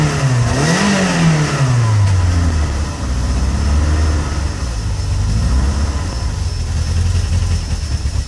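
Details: Peugeot 106 GTi driven from cold; misfires and cuts out unless revs kept up, clears around 5k rpm and once warm; began after a hard downshift into 2nd; temp sensor replaced: revs rise and fall then stumbling uneven low idle; cold engine misfire.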